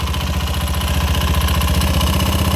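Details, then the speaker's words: Honda Scoopy FI scooter at idle with the front drive pulley removed: a rapid, steady clatter inside the engine persists, so it is not the pulley. Suspected oil starvation, with oil found in the air filter box; cam chain adjustment checked next. "masih ada bunyi"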